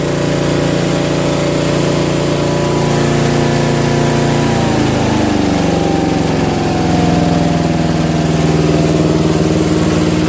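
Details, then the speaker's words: Toro Wheel Horse 825 riding mower, Briggs 8HP, after new battery, carburetor replacement and throttle linkage fix, while riding: steady single-cylinder beat settling to a lower smooth even note, no misses or knocks; runs properly. "But it handles very well. Engine runs really well."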